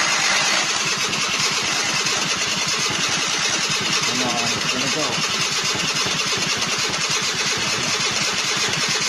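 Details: 1999 SYM Jet 50cc two-stroke scooter, previously non-running (no spark), after exhaust refitted: fast, even buzz with fine regular pulse, steady throughout; running cleanly.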